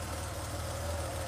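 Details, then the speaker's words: Freshly rebuilt air-cooled Porsche engine on a test stand at first start after cam timing was set, with the fuel pump audible. Steady, even idle with no ticks, knocks, exhaust leaks or oil leaks: healthy. "No exhaust leaks or anything, that's good. Really happy with how it turned out. No exhaust leaks, no oil leaks, no funny noises."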